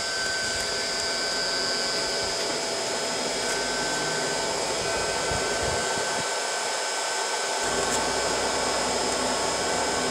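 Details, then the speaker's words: Three-phase electric motor on a glass crusher, replacing a failed gas engine, run on a 7.5 kW VFD at 60 Hz. Nameplate is about 3490 rpm; 3595 rpm was measured. Steady high whine over an even hiss with no knocks or surging: normal motor run. "so it should take this motor up to its name plate rpm and you can see it there in the background spooling up"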